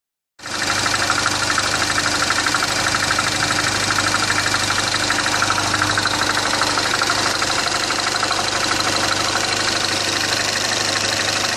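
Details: 2010 Mini Cooper Clubman S (R56) petrol at idle: steady fairly fast light knocking over bright mechanical clatter after topping up oil 2.5-3 qt low; owner suspects timing chain death rattle, not rod knock, unconfirmed.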